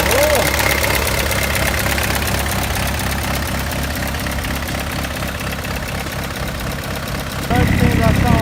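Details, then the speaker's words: 306 D turbo diesel after injector seal replacement and fuel priming, low battery: even, steady idle clatter with no misses, hiss or knock; runs smoothly, no injector leaks. "sounds like it's running right. Thankfully I can say there's no leaks,"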